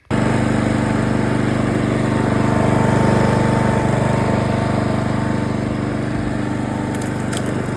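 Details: 2007 Parkside push mower, a dump find revived after sitting with an empty fuel tank: steady, even single-cylinder drone at constant speed with no misses or surging; running smoothly and healthy.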